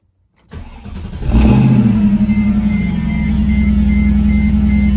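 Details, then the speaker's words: Mercedes C55 AMG V8, first start after relocating the battery to the trunk, in neutral: short crank, quick catch and a rev, then a steady, even burble settling into a smooth idle; healthy start. "now let's try to start it up all right here we go first start everything came on put it in neutral"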